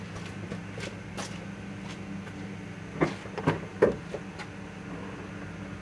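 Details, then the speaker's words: 2001 Chevy Cavalier 2.2 L, key turned to start: faint steady electric whir with a few clunks but the crankshaft and drive belt don't move; starter motor spins but solenoid suspected not pushing the pinion out to engage the flywheel. "I hear the starter motor spinning, but I think the solenoid is not pushing the pencil out. It's not engaging the flywheel."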